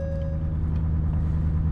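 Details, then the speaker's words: Used Ford F350 6.7 Powerstroke diesel, 177K miles, first start at purchase: steady low rumble with an even beat and no knocks or misses, idling a little high; sounds healthy, with no check engine light. "all right we're starting it up all right sounds healthy so far a little high idle"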